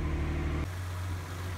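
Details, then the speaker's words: 1988 Acura Legend 2.7L V6, first start after timing belt and water pump replacement: brief louder moment, then a low steady hum with no ticks or knocks. Coolant air still to be bled; no leaks found after idling; normal idle. "le premier démarrage et elle fonctionne parfaitement j'ai encore besoin de roter de l'air de l' homme du liquide de refroidissement ça sonne bien ça devrait"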